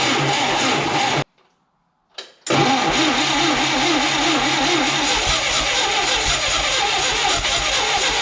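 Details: 1976–77 John Deere 170 skid steer with Wisconsin engine, carburetor ultrasonically cleaned, carb filled via new smaller clamped fuel line, battery booster: starter cranks briefly, pause, then engine catches and settles into a steady, even run with no misses.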